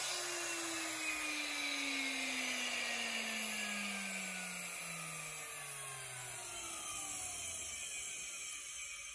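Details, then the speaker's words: Used German Precise Super 65 drill press, air-cooled, speed control from 45,000 RPM downward: high whistling motor whine falling smoothly in pitch as it slows, with steady airy fan rush; running normally. "Yeah, it's air cooled. You can hear that in the sound. There's the fan."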